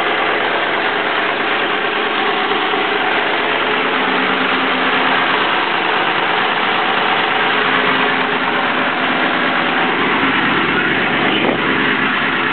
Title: More engine noise, without the exhaust leak...